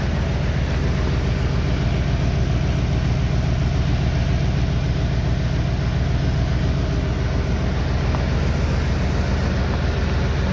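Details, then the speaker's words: Ford Expedition started in freezing weather to thaw its coolant reservoir ice, with cracked block suspected: low heavy idle, faintly uneven and lumpy, steady with no load changes. Slight misfire at idle, quieter than before. "that's how it's running you can tell it's slightly missing it's a lot quieter than what it"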